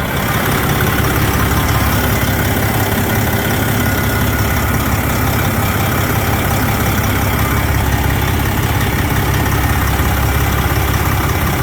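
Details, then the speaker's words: 2007 Freightliner with rebuilt Detroit Series 60 14L diesel, over a year after backyard rebuild, eBay JM turbo fitted, fan off; big diesel idles with steady even deep rumble, no knocks or misses — normal idle. "What else to say, man? I mean, it runs good."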